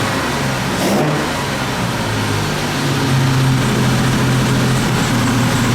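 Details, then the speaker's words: 1958 Jaguar XK 150 open two-seater started cold with no throttle pedal fitted; the automatic choke holds a steady, raised, revvy idle just after start-up until it warms. "this is on an automatic choke there's no choke on this as such automatic um so it is a bit higher revvy when it first starts up when it's cold"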